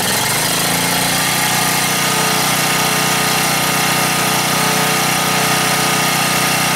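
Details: Gasoline generator converted to natural gas via a quarter-inch hose, gas valve opened slightly, choke closed. The pull catches in under a second, then a steady, busy drone without stumbling; it runs normally on natural gas.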